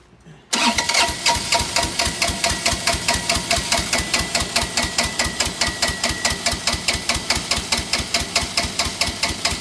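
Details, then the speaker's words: Bobcat 328 mini excavator diesel, sat for months, with injectors replaced previously and smoking ever since: the starter spins it steadily with even compression beats, but it never catches despite smoking. Cause suspected, not confirmed. "Sounds like the fuel shut off. Smoking. It's got to be getting fuel. Yeah. It doesn't sound like it doesn't have compression, so."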